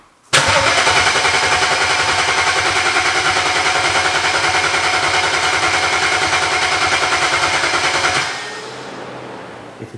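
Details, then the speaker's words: Flood-damaged BMW 135i after 8 years in a junkyard, fresh gas added: steady starter cranking about three and a half beats a second for eight seconds, never catches; suspected no fuel pump or injector command, no fuel. "it's not if the cars for some reason maybe not telling it to turn the pump on maybe it's telling it not to fire the injectors so maybe it's like not getting any fuel at all"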